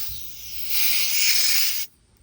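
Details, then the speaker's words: 2005 Toyota Corolla A/C service before a compressor bearing replacement: a sharp one-second hiss of refrigerant escaping from a loose hose fitting while hooking gauges to the recovery machine; connections must be tight. "A little leaky leak there. Good thing we caught that right now. Make sure all your connections are tight."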